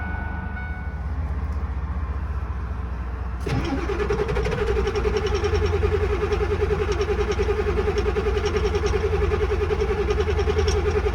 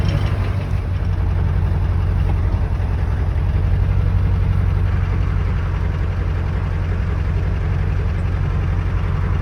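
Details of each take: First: Ford 7.3 Power Stroke diesel, manual, sat about 2 weeks in cold weather, key cycled about 3 times to heat glow plugs: low churning cranking for a few seconds, then catches into steady even diesel clatter with smoke; hard cold start. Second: Ford 7.3 Power Stroke diesel, manual, cold start after sitting about 2 weeks in cold weather, glow plugs cycled about 3 times; deep, steady idle with even low rumble, no misses or knocks; normal cold diesel idle.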